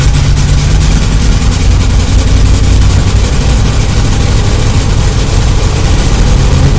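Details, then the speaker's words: Chevy El Camino after sitting about 1.5 months, fuel system stabilizer in the gas, now fueled, ice cold: steady deep even cold idle with no misses or knocks; normal. "and it's got a good Idol at cold that means this craft work because it was sit in a while"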